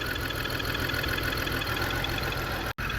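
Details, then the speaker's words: 2002 BMW X5 3.0L AWD, new battery and spark plugs, multiple misfire: steady but ragged idle, uneven loose pulse under hiss; fuel pressure 44 PSI, owner suspects fuel pump, intake runner motor popping; unconfirmed. "Sounds like a fuel pump, baby. Looks like a fuel pump. Looks like a fuel pump, baby."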